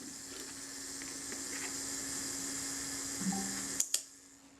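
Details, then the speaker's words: Braun Paxette Reflex Automatic 35mm SLR during servicing, shutter set to 1/8 second: even, steady buzzing whir of the self-timer for nearly four seconds, then a crisp shutter snap; a normal, smooth self-timer run-down and shutter release. "we'll set the timer we'll release the shutter the self timer should run down it should run down nice and smooth and we should get an 8 second for our shutter self time is now running"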